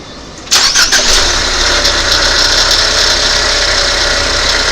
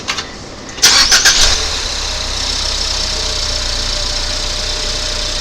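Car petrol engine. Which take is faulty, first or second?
first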